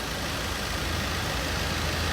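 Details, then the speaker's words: Car idling after a cleaning treatment with a German-technology machine and chemical, run about halfway, to cut smoke and noise; before, the engine went "kur kur kur". Quiet, steady idle with an even low hum and no knocking or rough beat; running smoothly. "ਗੱਡੀ ਦੀ ਆਵਾਜ਼ ਬਹੁਤ ਜ਼ਿਆਦਾ change ਹੋ ਗਈ ਵੀਰੇ। ਬਾਕੀ ਤੁਹਾਨੂੰ ਆਵਾਜ਼ ਦਿਖਾਣਾ ਗੱਡੀ ਦੀ। ਗੱਡੀ ਦੀ ਆਵਾਜ਼ ਸੁਣੋ, ਪਹਿਲਾਂ ਦੀ ਗੱਡੀ ਦੀ ਆਵਾਜ਼ ਤਾਂ ਹੁਣ ਦੀ ਗੱਡੀ ਦੀ ਆਵਾਜ਼।"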